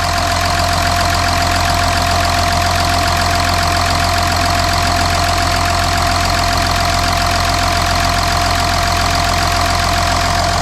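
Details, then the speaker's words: Audi Q7 3.0L TDI after engine oil cooler replacement, no dash warning light: even, steady diesel clatter at idle with no knocks, misses or speed hunting; engine running great, no leaks. Normal idle. "So the engine is running great. The engine sounds good."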